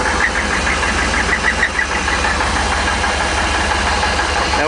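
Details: Gas Isuzu NPR 16ft box truck engine running with loose, uneven knocking in the idle; needs motor work, cause not identified; engine knock.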